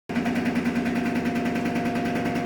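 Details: Whirlpool Duet direct-drive front-load washer (model WFW72HEDW0) at spin: fast, even rattle and clanking over a steady hum, sounding from the back, traced to a loose drain hose slapping inside the cabinet.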